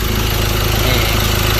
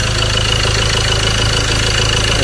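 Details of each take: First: Ford Ranger T6 diesel at 300,000 km, after an overhaul with new pistons and reworked cylinder head (it had lost power and smoked from the dipstick): a smooth, even idle with steady low pulses and no knocks or misses. It runs healthy. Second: Ford Ranger T6 2.2 diesel, 300,000 km, lacking power and smoking heavily: rough idle with a fast uneven clatter over a loud rumble, before overhaul; loose, worn engine with blow-by.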